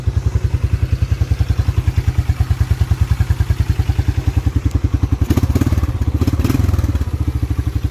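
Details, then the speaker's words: 1987 Yamaha Moto 4 YFM-350ER 350 single-cylinder ATV, after running through the gears; steady even thump with no misses or clatter; starts right off every time; healthy settled idle. "really good that thing literally starts right off every time it's amazing"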